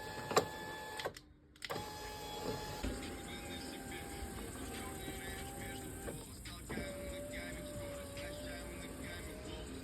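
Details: VW Tiguan power window that squeaked in hot weather from a rusted regulator, after lubricating it: a smooth, even motor hum on each glass travel with no squeak, under background music.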